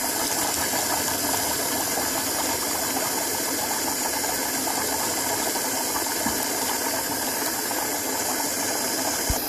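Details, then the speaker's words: GM fuel pump module run in a bucket on a jump box, feeding an external venturi jet pump with a 58 psi bypass regulator: steady, even whir and rushing fluid hiss, stabilizing after a few seconds and flowing decently. "working after a few seconds it stabilizes and actually flows pretty decently"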